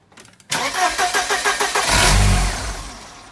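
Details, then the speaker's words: 1994 Mercedes-Benz C180 (W202), crank but no start: steady cranking, then it catches instantly and revs after ether is sprayed into the intake, showing the possibly original fuel pump isn't delivering fuel; failed fuel pump. "so once the vehicle had something like a bit of fuel getting to it it fired straight up so that shows us that the problem is actually the fuel pump"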